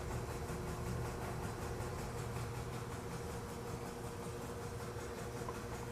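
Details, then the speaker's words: Vintage Westinghouse fridge compressor run on a temporary start device: quiet, even hum with a faint steady tone and no knocks or rattles; frost appearing on a line, so it is cooling normally. "and i even see frost on one of the lines back there yeah oh yeah that's definitely cooling"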